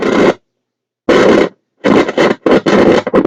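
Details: Ferris car/portable radio recovered wet from a landfill: loud scratchy bursts cutting in and out with silent gaps; intermittent crackling, suspected dirty volume control, contact spray applied to the shaft.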